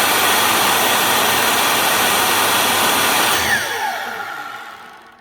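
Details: Makita LS1019 miter saw after motor replacement and new brushes: steady high-pitched whine with no rattle or grinding and a smooth wind-down; slight sparking is expected while the new brushes bed in.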